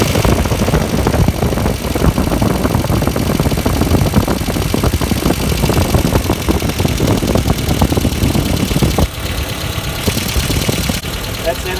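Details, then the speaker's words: 1994 Ford Econovan after a slipped timing belt was fixed, burnt ignition points replaced and timing set: a steady, even idle with a firm low thrum and no misses; the idle is more sensible now, though the #1 plug lead is cracked. "This is much better than it sounded yesterday when those points weren't opening properly. That's where my timing's meant to be. The idle's a little bit more sensible."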